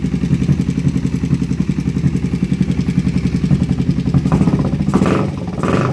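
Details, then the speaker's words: Kawasaki Vulcan 500 V-twin on its first start after a carburetor kit was fitted: sharp ticking that keeps time with the engine at idle and quickens on throttle; a spark plug found loose, then tightened finger tight. "well it runs that plug looks like it's a little loose so i'm going to tighten that up real quick"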